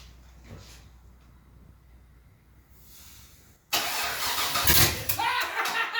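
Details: LS V8 swapped into a Datsun 620, on open headers. Quiet cranking, then it catches and roars harshly with a ragged, uneven beat; it was running on only seven of eight cylinders.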